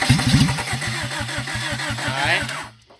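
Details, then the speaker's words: 1991 Honda Civic hatchback EF ED6, sat about 10 years, transmission replaced, possibly needs fuel pump: starter churns about three strokes a second, slows and dies; battery too weak to crank. "perte de puissance de la batterie, donc c'est la fin de ça peu e épisode ici"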